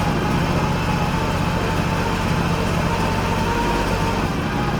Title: Engine misfire and exhaust leak fixed.